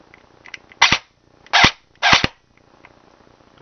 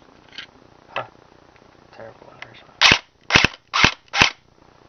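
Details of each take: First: Airsoft version 2 gearbox on bench test after reassembly: three short harsh raspy cycling bursts with burning smell; motor height misadjusted so pinion meshes badly, better after backing motor off — rough gearbox cycling from misadjusted motor height. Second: Airsoft version 2 gearbox on test after the motor was backed off: crisp even snaps about 2.5 per second; cycling normally, burning-electronics smell reduced; owner suspects poor connectors and wiring.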